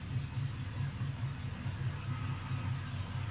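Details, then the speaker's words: LS-swapped Chevy C10 converted from carburetor to stock fuel injection, after cleaning the dirty injectors behind its misfires, which were found by checking each cylinder's temperature. Low, even V8 idle with a steady lope and no skips; normal idle. "So I cleaned them out real good, put it back together, and it's honestly running beautifully."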